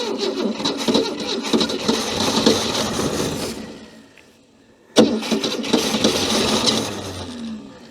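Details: Scrap-heap Ford Falcon, water gurgling in cooling jacket with owner suspecting combustion leaking into it, fuel being pumped up: uneven starter churning in two bursts with a pause, never catches; cranks but won't start.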